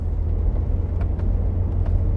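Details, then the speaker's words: 1999 Mercedes SLK200 driving on road, sporty suspension with low-profile wide tires; over steady road rumble, irregular light ticks as the folding roof moves and rattles in corners. "There are some rattles from the roof in corners. You can actually hear it move about a bit."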